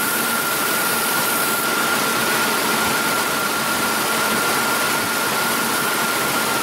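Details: Mazda B3000 / Ford Ranger with 3.0 V6, P0171 lean code and misfire: engine idling under a heavy hiss with an uneven, unsteady beat; rough lean-running idle with misfire.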